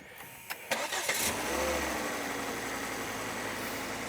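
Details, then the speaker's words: Volvo C30 five-cylinder turbo just after spark plug replacement: brief crank, then it fires quicker than usual into a smooth, steady idle. It was previously badly misfiring, and slight exhaust popping remains on revs. "it did start quicker than usual give it a couple revs"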